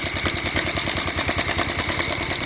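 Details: Bajaj Pulsar 150cc on its stand at idle: fast, even clatter of sharp ticks from the top end; mechanic says it is not bearing, piston or rocker; tightening the cam chain tensioner next to test, cause unconfirmed.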